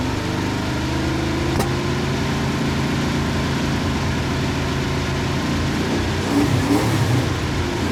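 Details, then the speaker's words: 1971 Plymouth Satellite with a 318 V8 and a newly fitted shelf Thermoquad carburetor: steady idle with quick, clean throttle blips that rise and fall promptly without stumbling. The accelerator pump works; normal, snappy free revving. "Thermoquad sounds pretty good. The accelerator pump works, which is always a plus. Snappy."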